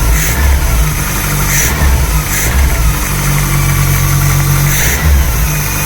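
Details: VW Polo with Pierburg 2E carburettor, after cold start: steady low idle with clean quick throttle blips, picks up and settles smoothly without stumbling.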